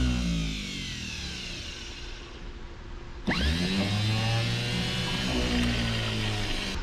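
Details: 1951 Chevrolet Advanced Design pickup, unused about 30 years, starter tested on the bench: sudden engagement, then a strong, even electric whir holding steady with no grinding or dragging; starter spins freely and healthily.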